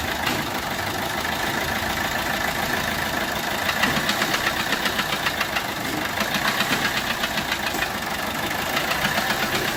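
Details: Peugeot 1.3 HDI diesel at idle: uneven irregular tapping and puffing about four per second, compression loss because a bent valve is not fully closing, resembling a leaking injector.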